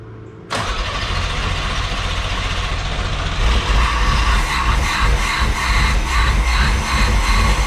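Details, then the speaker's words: 1987 Pontiac Fiero GT 2.8L V6 with a swapped carburetor intake: catches and runs rough, lumpy and unsteady with no steady idle; carb fault, the needle was found missing its float clip, rebuild kit ordered. "it just doesn't start good like that more it's just the carburetor is not"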